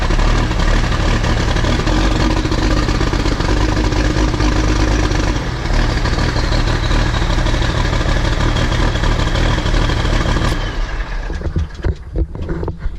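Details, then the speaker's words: New Holland TS115A tractor diesel, cold start after sitting for a long time, smoky exhaust: loud clatter with an uneven, lumpy beat near three per second. The misfire is traced to something related to cylinder number 1. "Tractors aren't supposed to sound like that. That is a problem. And I have chased it down to being somehow related to cylinder number 1."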